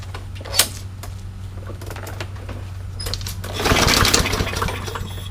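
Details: Yard Machines mower, no-start with stale-smelling gas and fuel/oil-soaked air filter, gas squirted into carburetor: a few clicks, then it catches and sputters unevenly, running only on the prime; old gas suspected.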